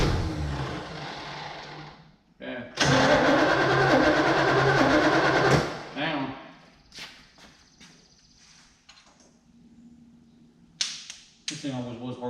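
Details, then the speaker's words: 1964 Malibu SS, first start attempt with the choke closed and the carburetor fuel bowl dry, fuel poured in, float possibly stuck: the starter churns steadily for seconds without catching; a car that was always hard to start. "This will take a little while. Go ahead. Hang on. Dump a little more in there. Sure, the fuel bowl is dry."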